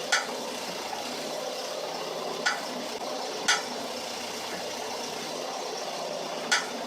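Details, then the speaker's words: Car brakes: four sharp metallic clunks over steady hum when pressing the brake pedal; suspected loose brake pads in the caliper due to the retaining springs, not confirmed. "الصوت ده اذا سمعته في عربيتك وانت بتدوس على بدله الفرامل في عربيتك 95% له سببين"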